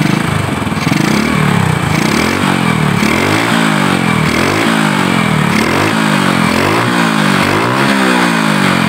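Small motorcycle single starts and blips up and down repeatedly, picking up cleanly each time with no misses; ignition is sparking properly now.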